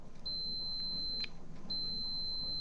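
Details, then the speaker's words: Gravely ZT 42 zero-turn mower with a no-start, no-crank fault, interlock switch tested with a meter and jumper: a clean steady high continuity beep twice, each about a second long; the switch closes properly and works. "Okay, so the switch is working and normally open closed switch."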